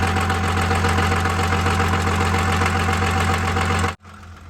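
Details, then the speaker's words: Dodge Cummins diesel pickup idling: faint metallic crashing/clatter about three to four times a second over a steady idle; owner thinks it is not inside the motor, cause unconfirmed, also saw transmission-fluid-like fluid from the breather. "right that that's crashing I don't know what that is I don't think it's coming from inside the"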